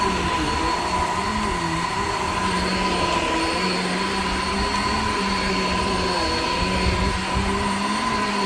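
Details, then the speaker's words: Shark Infinity Pet Care vacuum on living room carpet: steady motor roar with a wavering squeal that dips and recovers as the brush drags; very old worn belt slipping, brush roll stopped many times, needs replacing. "all right so as you could hear the belt on this is like pretty much shot like it's it's really old clearly needs to be replaced"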